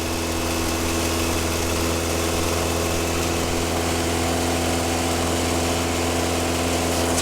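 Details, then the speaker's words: 1977 Triumph Dolomite, restarted instantly with the engine partly cooled; steady fast drone at about 2,000–3,000 rpm that never drops to a normal idle, way too high, smoking a bit. "started up instantly but that is like 2,000 2 and a half th000 to 3,000 RPM which is way too high"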